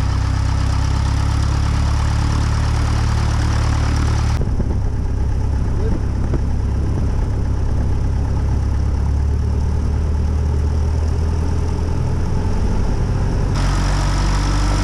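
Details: Aviat Husky aircraft engine rebuilt after being under water, on its second run after the overhaul: deep, steady idle with an even low rumble and no misses or knocks. Normal idle.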